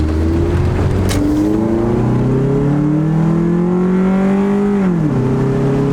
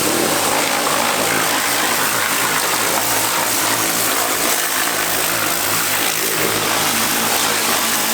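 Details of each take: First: Honda Accord road test after repair: engine pulls smoothly with steadily climbing note, then one clean quick upshift; previously shook, struggled and shifted hard near redline; now normal acceleration. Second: Honda Accord running after fuel pressure restored and high pressure line replaced: steady engine run with a loud, constant howl on top; power steering pump whine, pump still needs swapping.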